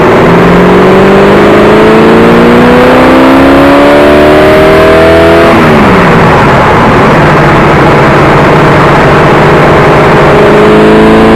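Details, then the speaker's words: 1979 AMC Spirit AMX, 304 V8, driven on the road with a vacuum-secondary carb, camera watching the carb: revs climb then drop with no extra deep roar under load; secondaries never open, matching the earlier dyno result of power only on primaries. "well don't know if you could tell or not but they don't open up so it didn't matter if i put it on the road doesn't matter if i have an air cleaner on it"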